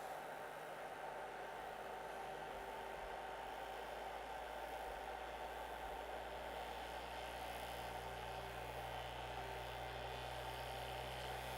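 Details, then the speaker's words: Rat Rig V-Minion 3D printer during a resonance/vibration tuning test: loud steady whirring drone with fixed tones and buzzing rattle, room objects vibrating; owner suspects a loose screw on the hotend, the fans, or under-lubricated rails. "still moving like magic so this is very very noisy as random things around the room start to vibrate with it"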